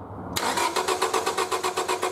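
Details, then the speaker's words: 1999 Honda Civic 1.6 VTEC SOHC, crank no-start: the starter churns evenly at about seven beats a second but the engine never fires. The distributor signal fires an external Ford coil fine, so the car's own ignition coil has failed. "okay so I've got a good signal from the distributor because it fires this coil just fine so there's something wrong with the coil that's in the car"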